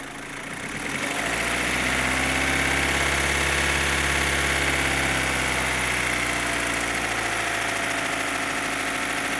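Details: 2015 Opel Astra H Z16XEP petrol engine at idle: loud, fast, even tappet-like ticking about three per second; stops when cylinders 3 and 4 are cut, their tappets replaced without change, injectors ruled out, non-original camshafts suspected; source unknown.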